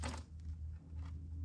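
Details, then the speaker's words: Bobcat skid steer with Kubota V2203 diesel after replacing the faulty fuel lift pump (crank-no-start after sitting 10+ minutes): new pump hums steady and quiet, no gurgling, hissing or air sucking; normal operation. "and it's quiet. No gurgling, no hissing, no sucking air. Beautiful."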